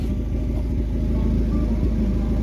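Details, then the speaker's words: 2006 Hyundai Tucson 2WD petrol engine, about 148,000 miles, running with a deep, uneven puffing rumble: an exhaust leak letting pulses escape; replacement exhaust, MAF sensor and VVT solenoid just received. "it's got an exhaust leak."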